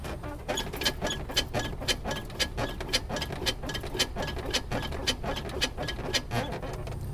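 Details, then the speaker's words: Polaris Sportsman 570 ATV: sharp, high squeaks about twice a second as the suspension is worked, from dry, unlubricated pivot joints after riding in mud, dirt and water; fixed by lubricating. "i've been riding around on my trusty polaris sportsman 570 for a little while and i'm starting to notice a little squeak in the suspension"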